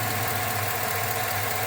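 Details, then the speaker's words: 2008 Chevrolet Silverado V8 with 203,000 miles, which had an intermittent cylinder 6 misfire after new plugs and wires. It idles steadily and evenly with no stumble or dropped beats, running smoothly on all cylinders. "get this thing fired up and for right now there is no no miss island nice and smooth"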